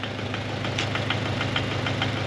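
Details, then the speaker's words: Toyota GT86 engine, previously dead, now started; sharp, even knocks about four per second over a steady idle hum; engine knock from the bottom end, sounds broken. "Definitely sounds like it's knocking. Yeah, that's definitely this one."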